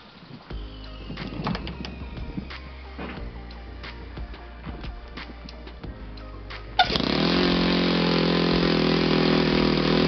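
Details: Saito FG-21 four-stroke converted back to gasoline fuel, started on glow ignition with an OS G5-type gas glow plug: after quiet handling it fires and holds a steady, even high-pitched drone, running cleanly.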